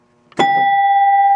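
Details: 1966 Williams Full House electromechanical pinball machine: one clean bell strike rings at a steady clear pitch; this chime works normally, while the 10-point chime does not.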